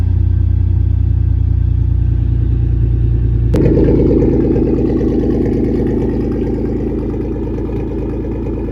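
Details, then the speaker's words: 1996 Toyota 4Runner 3.4L V6 (5VZ-FE), cold start after head gasket and cylinder head replacement: starter cranks briefly, engine catches at once and settles into a steady, even idle with no misses or knocks; runs really good, no check engine light. "I will give you guys a little um cold start. Yeah, the motor's cold and it runs really good now. No check engine light."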